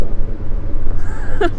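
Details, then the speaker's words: V6 Mustang, catless (catalytic converters removed), full straight pipe, heard from outside: deep droning rumble with a brassy, trumpet-like edge. A loud, obnoxious exhaust drone. "That shit is so obnoxious. It sounds so bad. Ooh. Imagine people coming here to meditate at a park, and then they hear this Mustang. It almost sounds like a trumpet. This V6 full straight pipe Mustang. Sounds fully straight piped."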